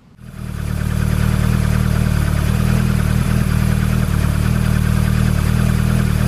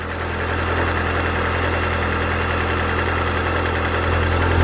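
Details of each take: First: Mazda Miata fitted with Toyota 4A-GE 20-valve individual throttle bodies, already synchronized and tuned: the engine catches and settles into an even, steady idle with no misses or hunting; the throttle bodies are well balanced, normal idle. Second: Mazda Miata with a Toyota 4A-GE 20-valve individual throttle body kit, idling: uneven, loping idle with an irregular low beat; rough idle from unsynchronized throttle bodies, which hurts performance, before they are balanced.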